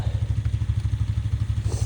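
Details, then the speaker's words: Kubota BX2230 tractor, 3-cylinder D902 diesel, cold start after a glow-plug cycle: slow, even cranking with no firing; the owner suspects weakening glow plugs, as it used to start at any temperature. "I think she'll start right up D cycle for a minute oh kind over slow though go ahead and hit him"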